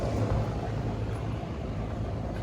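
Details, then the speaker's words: Carrier rooftop unit in test mode, with bad condenser fan motors 1 and 3 unhooked: the contactor pulls in and the fans give a smooth, steady low hum with no surging, rubbing or cutting out; two condenser fans running normally. "That contactor pulled in and is running this fan. So I now have 2 fans running."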